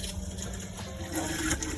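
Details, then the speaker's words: Auto-Trail Expedition 68 camper van water pump, switched on from the control panel: a steady electric hum with water rushing through the lines as it charges, stopping once the water has run through; normal operation. "then you've got the next one down is picture of a tap that's your water pump you can hear it charging"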